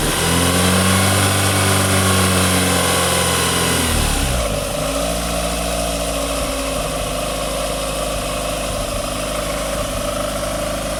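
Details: Snatch Panda small petrol engine misfiring at idle, settling to an uneven idle with a regular stumble of roughly four beats a second.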